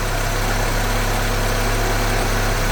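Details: GTI engine swapped into a 1974 VW Passat B1, ignition timing just set with a timing light: steady, even idle with a smooth low hum, no knocks, misses or ticks; engine running cleanly.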